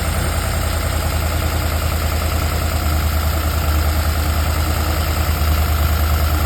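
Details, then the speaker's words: 1956 Ford Thunderbird V8 with a Holley 4000 four-barrel carb, cleaned and reinstalled with an O-ring fixing a problem at the needle-and-seat cap: low, slightly uneven idle lope of about three pulses a second, still a little rough on the timing. "that O-ring did it. So. Still a little rough on the timing."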